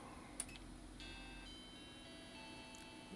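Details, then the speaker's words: Vintage Mac powered on while testing a Kero's Mac Mods PDS ROM card: switch click, then ringing startup error chimes (chimes of death) of changing pitch, still present after retry. "Still getting the uh chimney chimes. I like I like the sound though."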